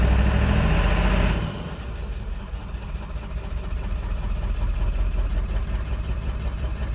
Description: This rough idle just started!